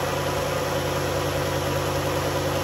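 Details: 2011 Dodge Journey 3.6 V6 after lifter and rocker replacement, cold start: smooth, even idle with a steady low hum and a quiet valvetrain; the earlier ticking is gone and the engine runs normally.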